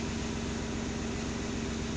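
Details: VW Polo 6N2, first start after fixing a no-crank fault by bypassing the ignition switch with a start/stop button module: steady, even idle with a smooth low hum and faint hiss, no knocks or misses; healthy.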